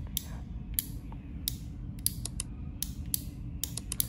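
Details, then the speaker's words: Four-terminal limit switch, actuator turned by hand with cover open: sharp, irregular clicks as the contacts close and open cleanly; normal healthy switching. "and this is the work of the actuator you could hear the clicking"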